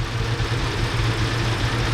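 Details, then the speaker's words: 2009 Lincoln MKZ at rough idle with an uneven low pulse that stumbles every few beats; misfire reported by the customer on cylinder 4, the harness is suspected and shaking worsens when it is moved, cause not confirmed. "You can hear the engine becomes better. Then it'll pull a certain way. It's right there. It starts shaking."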